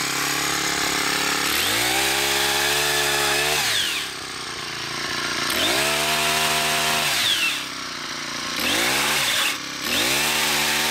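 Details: New Poulan Pro PP428S two-stroke powerhead with PP5500P pole saw attachment, after carb adjustment for factory lean setting; revs cleanly to a crisp high buzz in bursts and drops back to idle each time; running healthy.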